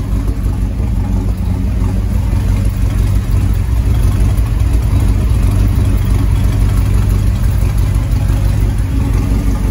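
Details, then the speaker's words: Land Rover Defender 90 with swapped 6.2 L Chevrolet LS V8, Dynomax Super Turbo muffler, early run after oil top-off and air cleaner fitted: deep, steady, mellow exhaust rumble at idle with no misses or knocks; fuel pressure reported good. Normal idle. "really nice mellow Rumble"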